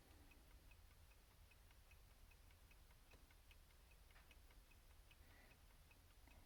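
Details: Repaired 1971-1974 Cadillac electric clock, opened, cleaned, coil resistance checked, powered on the bench: quiet, steady tick about two per second with no stumbles, running normally.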